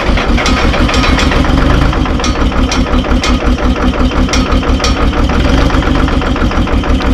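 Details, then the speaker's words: Terex TX 72-31 with Detroit 6V53 diesel, first start in 20 years on old fuel with ether: lumpy, uneven beat with irregular stumbles after start, heavy smoke; owner suspects a couple of injectors hung up. "Sounds like it might have a couple injectors hung up."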